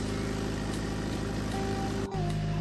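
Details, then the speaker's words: Isuzu 8 kVA diesel generator at a BTS station after bleeding air from the fuel line, tested running: steady even drone under governor, small pitch shift; started fast and strong, about 225 V, 52.4 Hz, 13.2 V battery. "Une fois que cela a été fait, j'ai démarré la machine de test et le résultat a été qu'elle a démarré vite et fort !"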